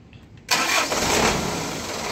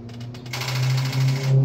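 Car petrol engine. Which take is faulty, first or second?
second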